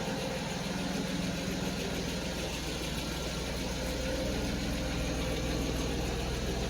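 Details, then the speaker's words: 1991 Mercedes 190E at idle after exhaust pipe work, rear muffler-to-resonator joint not yet secured: an even, quiet idle with a soft low exhaust rumble, much quieter than before. Some lifter rattle noted. "just the exhaust Rumble that's actually pretty quiet before it was way louder"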